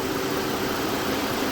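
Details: 2012 Mazda 6 3.7-litre, engine cold at idle; loud steady rushing whoosh as cooling fan runs high and erratically, staying on after key off; fan control module suspected, and replacing it fixed the problem.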